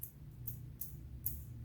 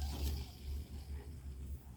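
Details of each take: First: Fishing reel with a one-way clutch, handle turned by hand: quiet gritty rumble with a tick about twice a second. The main bearing still spins freely but sounds rough and needs cleaning or replacement. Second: Fishing reel after replacing original noisy bearings above the pinion with new ones: soft low even whir while spinning, no grating or roughness, then a small click; smooth quiet rotation.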